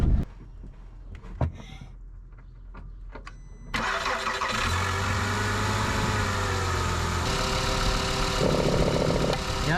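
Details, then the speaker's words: VW Jetta P0491 diagnosis, engine idling while secondary air valve is energized with a Power Probe: rushing exhaust hiss comes and goes as the valve opens, so the path is not plugged; valve flowing. "so you can hear the exhaust when I open that up that's a good sign that means it's not plugged up"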